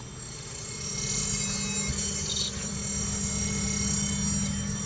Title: Accord 04 v6 brake noise